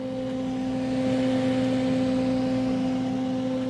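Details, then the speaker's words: Misting pump system with its motor freshly started: steady, even mid-pitched electric hum with no knocks, so the motor runs normally. No water comes out of the nozzles. "You hear it humming."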